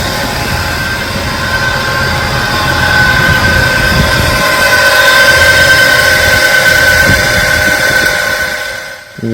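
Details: 1999 Jeep Wrangler Sport TJ, automatic, 144,000 miles, loud noise from passenger side: engine idles with a loud steady whine and rough whirr holding pitch; worn alternator bearing.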